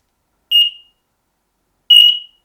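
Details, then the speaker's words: X-Sense combination smoke and carbon monoxide detector: two short high beeps about 1.5 s apart after pressing its button twice, confirming interlink pairing with the other detector. "first step you need to push the button four times so you hear the beeping and now we want to interlink to this one you only need to push two times"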